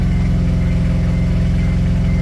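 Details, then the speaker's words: DA9 Acura Integra turbo project idling fast, steady and even with a deep drone and no misfires, still noticeably high after the tuning tables were lowered; owner suspects high idle because there is no coolant. He also suspects a ripped throttle body gasket leak, and the engine is smoking. "Still idling kind of high."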